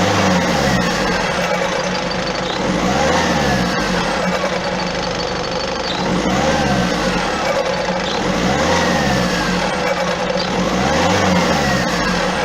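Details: Peugeot 407 1.6 HDi 110 diesel, noise after acceleration: revs rise and fall in waves about every two seconds with a rough rumbling undertone after each rise; cause unclear, flywheel replacement planned at garage.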